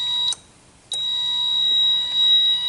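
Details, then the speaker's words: 2008 Nissan Sylphy G11 MR20 with P0135/P0141 O2 heater faults: a fuse saver's steady high-pitched buzz drops out about half a second, then returns, tripping each time the sensor 1 harness is shaken; a short in the O2 sensor 1 heater harness. "all right so you hitting the buzzer going off right and when I reset it it popped it in all right so what I'm gonna do I'm just gonna Shake number one yeah and you see that it's switching off and I'll switch it again so it's like I got a short and number one"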